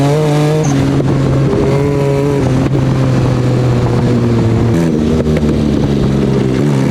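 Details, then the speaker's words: Off-road buggy under throttle on the trail, not running right. The engine howls with rising and falling revs broken by sharp pops and cracks; backfire popping. "so at this point something is not running right with the buggy and listen to how much popping this engine is doing"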